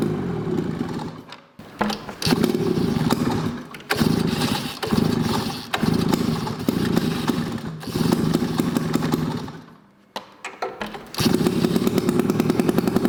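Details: Two-stroke snowmobile ("Olympic"), first start in years; the engine catches after a couple of tries, revs in uneven bursts with brief dips, then settles into a steady buzzing run.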